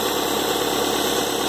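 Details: Engine at idle just after fitting a new Gates PowerGrip timing belt, tensioner pulley reused: even, smooth belt whir with no slap or chirp; a disconnected flex fitting causes a slight false-air noise.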